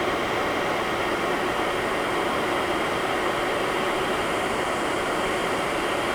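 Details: HP EVA6000 disk storage rack with four full disk shelves at power-on: loud, steady rushing fan roar with no pitch wobble, rattle or grinding; normal.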